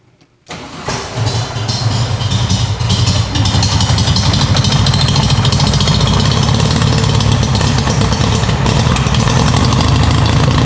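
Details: 1970 VW 1915cc engine with dual 40 carburetors about to be fitted; baseline before the carb swap, tuned as well as possible. Cold engine catches after a brief crank and settles into a loud, uneven, lumpy idle. Owner suspects a fuelling issue.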